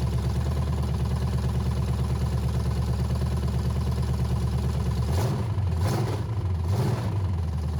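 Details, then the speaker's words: Abandoned 350 small-block V8 sat for years, 1985 K5 Jimmy frame, open pipes, manual oil gauge showing around 25 lbs: deep even burble, three throttle blips returning cleanly to idle, no lifter tick or knock; normal idle. "then it didn't sound like any of the lifters were knocking or anything"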